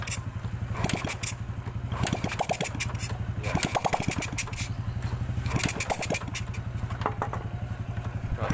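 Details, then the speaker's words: Grand motorcycle with the exhaust removed, after fixing carburetor spit-back: engine blips up cleanly and drops back to a steady idle with no spitting through the carburetor; power and sound back to normal. "Sini kasusnya sudah aman, dan tenaganya juga sudah pulih, suaranya juga sudah normal kembali."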